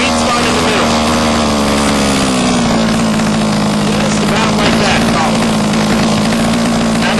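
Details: HPI Baja 5B two-stroke after its low-speed carburetor needle was set between too rich and too lean: steady, even buzzing idle without hunting or sagging; normal idle.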